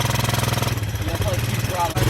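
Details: 1984 Honda ATC200ES Big Red trike, sat for years, first run after spark finally came good: single cylinder fires in a steady, even thump, about eleven beats a second, running on its own with no misfires.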